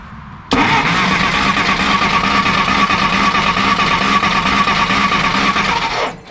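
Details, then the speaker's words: 1953 Willys Jeep CJ-3B with new coil wired through the ballast resistor; about five seconds of steady cranking with no firing; test light shows no spark, owner doubts whether the test light itself is bad. "no spark that's super frustrating um unless this light's bad right"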